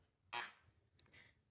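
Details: Short sharp buzz as the continuity tester's probes touch, then quiet; good contact, during a check of a VW Fusca six-pin ignition module for a second-gear misfire at low rpm.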